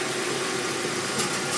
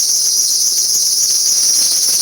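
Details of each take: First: Hyundai Tucson idling at full steering lock after the power steering pump belt squeal was fixed. Steady, even idle with no squeal or chirp; the belt runs quiet. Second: Hyundai Tucson at idle: a sharp high-pitched squeal that appears when the steering is turned to full lock and cuts off when it comes off. Not the power steering pump; tightening the pump belt didn't help; a slack belt was tensioned to fix it.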